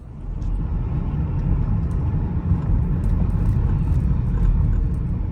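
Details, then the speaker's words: 2017 Toyota Corolla on a test drive after hub wheel bearing replacement: steady, even low road rumble with no growl, hum or whir rising with speed; the new bearing is quiet. "everything sounds good let's go to the next job"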